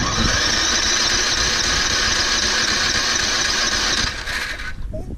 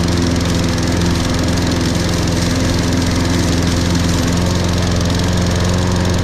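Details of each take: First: Toro Recycler 22-in model 20334, 190cc engine, electric start, auto choke, January cold start after sitting some time. Starter whirs at steady high pitch about four seconds before engine takes over; slow, reluctant cold start, battery still charged. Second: Toro Recycler 22-in model 20334, 190cc engine, electric start, auto choke, just after a January cold start after sitting some time. Steady, even drone with no stumbles or knocks; healthy run once it fires.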